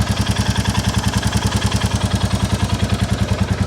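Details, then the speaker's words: 2022 Royal Enfield Classic 350 Reborn single after valve clearance adjustment, exhaust-joint blow partly covered: steady thump about three and a half beats a second with only a light, even tick; normal idle, with the remaining noise from the exhaust blow. "I think it sounds quite [Music] normal that's that exhaust blow but don't worry about that cuz this exhaust will be getting sorted"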